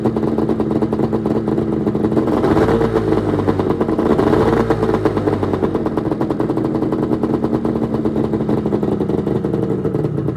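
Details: 1996 Arctic Cat ZRT 600 two-stroke snowmobile, cold start after fuel pump rebuild, fuel shut off overnight: catches and settles into steady even buzz with a couple of clean revs; normal cold start and running.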